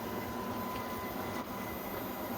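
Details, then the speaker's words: Epson WF-7720 printer powering on after a month out of service and replacement of the jammed waste ink unit (Close Ink Cover error); steady mechanical whirring, no knocks or grinding. Likely its normal startup cleaning cycle. "The cleaning cycle worked well. That's probably what it's doing now, since it's been so long since it's been on."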